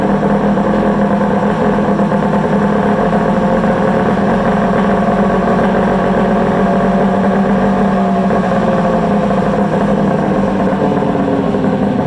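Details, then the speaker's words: Polaris Ultra 680 triple two-stroke, break-in, with trash can exhaust: even, throaty burble holding a steady note throughout, no misses or surges; idling smoothly and healthy. "Sounds killer. Man, that thing's awesome. That thing does something sweet. Yeah, that's got a nice throat to it for sure. Absolutely a nice throaty sound to it."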